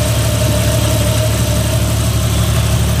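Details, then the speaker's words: Jeep XJ after hydraulic assist steering install with a larger fluid volume: steady idle with a constant mid-pitched power steering pump moan from air in the fluid, expected to work itself out. "so yeah it's still making air big time it'll work itself out"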